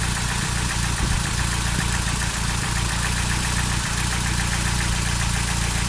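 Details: Toyota 22R-TE engine at idle: loping uneven beat about three to four per second with stumbles and no steady rhythm; rough idle.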